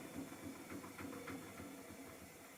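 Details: Miele Softtronic W6544 washing machine with a loose drum: quiet, regular knocking about four times a second as the drum turns, a loose clatter rather than a bearing rumble; broken drum spider, though bearing damage had been suspected.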